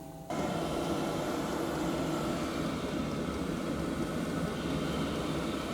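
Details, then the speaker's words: Newly installed Chinese diesel heater in a van, first start at heat level 6 (max): lights with a sudden rush, then a smooth steady roar of blower and flame, no pulsing or popping; heater running fine. "She's lit anyway. That's flame. You can hear flame now."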